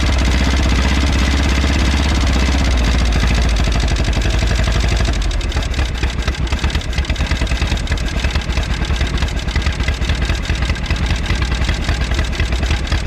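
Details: 1951 Willys CJ3A Jeep, off the road about 52 years (last tagged 1969), on fuel poured from a bottle with no fuel system hooked up: old four-cylinder catches and settles to a steady, slightly lumpy idle. Normal idle.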